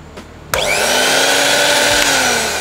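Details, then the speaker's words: Miyako blender that was totally dead, repaired with a jumper without replacing the motor: click, then the motor spins up to a steady high whir, smooth and even; normal motor run. "sudah bisa nyala udah bisa muter"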